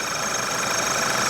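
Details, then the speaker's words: Vehicle idling with the high-pressure fuel pump disconnected, forcing default maximum rail pressure. A thin, steady high squeal sits over the idle, located at the high-pressure fuel pipe, with the pump also somewhat noisy. "So all I'm going to do is disconnect the high pressure pump, and that puts the fuel system into a default high pressure mode, so it runs at maximum pressure, and we get this kind of squealing noise."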